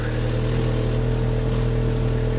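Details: 1980s Toyota Supra, abandoned for years, 110,648 miles, just jump-started: smooth steady drone with an even low hum and no knocks or misses; running normally.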